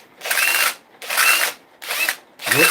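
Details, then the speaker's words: Dewalt DCH273 18V SDS drill after catastrophic failure: four trigger pulls give a harsh raspy whirr with wavering whistle instead of a clean hum; motor sounds rough, bearings suspected worn, switch also problematic. "the motor doesn't sound good. I'd say the bearings away in that."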